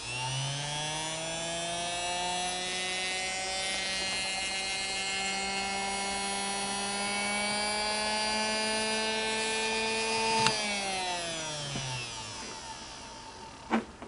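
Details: Singer Model 221 Featherweight sewing machine motor spinning at high speed on its pedal after rehab (cleaned commutator, new grease wicks, brushes reinstalled); a clean, steady whine with no rattle or brush crackle, winding down evenly; very smooth and quieter.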